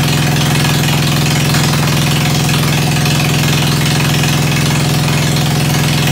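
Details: Ford 100 at the end of a tune-up, started with starter ether on a roughly 40°F day, idling through a straight pipe: loud, throaty, even beat of about three per second, no misses; running sweetly.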